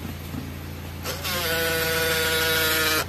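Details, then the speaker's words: Honda Jazz RS GE8 power-retract side mirror folding: about two seconds of motor whirr with a rough krak-krak crackling rasp, same when opening; gear suspected worn, other mirror fails to open. "itu bunyi ya, krak krak krak krak gitu ya. Kalau dibuka juga sama."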